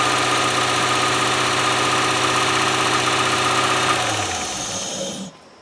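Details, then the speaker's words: 1997 Land Rover Discovery 1 first start, oil low and front oil seal leaking: steady even engine beat at about four pulses a second, then revs sag and it stops cleanly; running normally. "so it's it's running it's running which is good"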